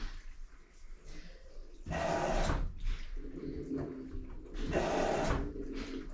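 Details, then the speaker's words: LG front-load washing machine during low-water troubleshooting, normal cycle after load sensing: the inlet valve actuates and two rushing surges of water flow into the drum over a quiet hum. Normal water fill. "then we should hear the valves actuate and the water come into the washing machine that's the proper saw we want you hear valve actuate and then water flowing in"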